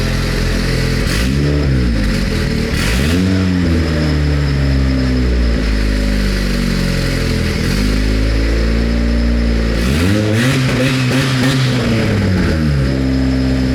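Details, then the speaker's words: Turbocharged Honda Civic-based Bugatti Veyron replica, first start: loud but even idle with clean blips rising and falling smoothly, no misfire or knock, described as not bad; normal idle and revving. "Oh, nice! That sounds kind of decent. Kind of. That is not bad."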